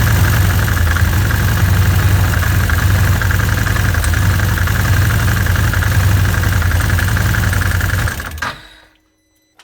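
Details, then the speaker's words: ATV running right after installing the UATV-tech primary clutch mod and greasing the one-way bearing; steady, even low drone with no clutch chatter or rattle before it shuts off, much quieter than before, normal running. "that's a lot quieter than it was so obviously the grease in the oneway bearing has took care of most of the noise"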